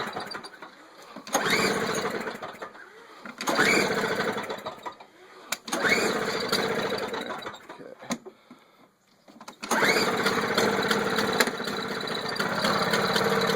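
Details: Toro two-stroke snow blower after spark plug change, started on choke after priming: catches and buzzes in uneven bursts, then holds a steady high-pitched run; engine fires and runs normally.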